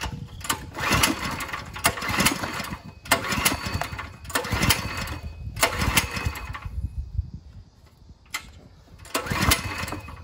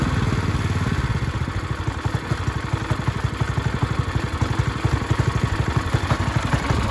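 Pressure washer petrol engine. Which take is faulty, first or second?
first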